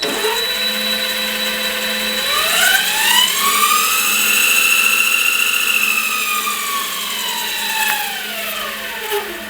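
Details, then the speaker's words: Small metal mini lathe after drive belt replacement and motor mount cut to fit, covers back on: loud high whine climbing with spindle speed then falling on rundown; quieter than before but still noisy, owner suspects headstock bearings. "I mean, it's quieter than it used to be, but still quite noisy."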